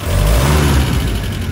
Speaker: If I sort of stamp on the accelerator, It hesitates horribly. And when it was warm, before I put this valve in, it didn't do that.